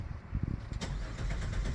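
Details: 2000 Chrysler Sebring that quit and only ran briefly on starting fluid, pump relay signal confirmed good. Starter cranks the engine evenly and strongly but it never fires: no start, traced to a fuel pump delivering no pressure.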